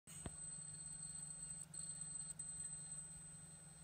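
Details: Brand-new PS4 Pro squealing after about 30 minutes of play: a thin steady high whistle over a faint low hum. The game froze and the console became unresponsive. On reboot, after a drive-check message, the screen went off and the blue light flashed. Cause not confirmed.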